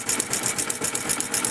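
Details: Yamaha FZ/FZR motorcycle at idle: fast, light, fairly regular metallic ticking over a thin idle; timing chain rattle. Only about 100 g of oil drained from the engine. Worn spark plug noted, and the carburettor needs cleaning.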